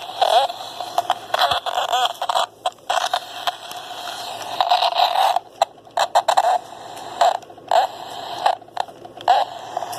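Choppy bursts of hiss and crackle cutting in and out with a squealy tone near 700 Hz; the radio is faulting, cause unknown.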